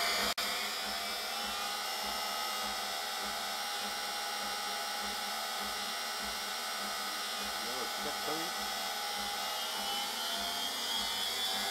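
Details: Brush-type washing machine motor test-run after repairing its rear speed-encoder magnet ring (heat-damaged by bearing failure, kept falling off), refitted with a new bearing, aluminium piece and non-magnetic stainless bolt: even high whirring at steady speed, no knocks, rattles or scraping; runs healthy.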